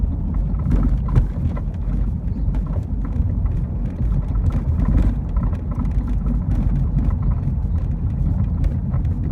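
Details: Rattling noise from rear compartment of a BMW E36, sounding like a wrench bouncing around: irregular metallic knocks and rattles over heavy road rumble, caused by a bad rear shock mount.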